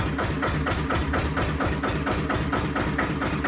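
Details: 1936 Lister CS 5/1 single-cylinder diesel, engine number 15699, rated 600 rpm, running briefly after a rebuild. Slow, even thumping beat at around two to three per second, with no knocks or misses; normal running.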